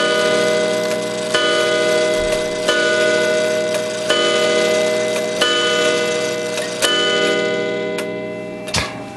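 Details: Spring-wound Gilbert 1913 count-wheel clock after lifting the count wheel lever once to advance it one hour: a clear, evenly spaced bell strike about every 1.4 seconds, each ringing cleanly; the hour strike is normal.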